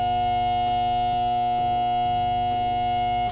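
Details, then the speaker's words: Water pump that is sticking, switched on: steady electric buzz at one pitch with no spin-up and no power; motor energised but shaft stuck, to be freed temporarily with a cord around the spinning shaft. "Vamos a encenderla ahorita para que vean cómo se escucha, que está media atorada."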